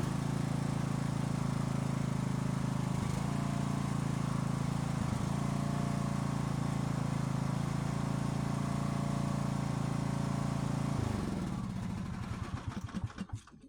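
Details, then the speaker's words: Husqvarna YTH18542 lawn tractor, Briggs & Stratton Intek 18.5 hp 540cc engine with repaired carburetor, first start after sitting all winter: steady, even drone with smooth firing and clean shutdown; runs normally. "And this is the first start after setting all of winter 2024 into 2025."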